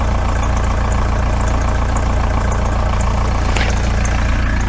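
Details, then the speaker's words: Volkswagen T3/T25 TDI camper at idle after fitting a new exhaust, microphone low near the exhaust: even, steady diesel thrum with no blowing, ticking or exhaust leak noise. Normal idle. "right that's all sounded pretty good there"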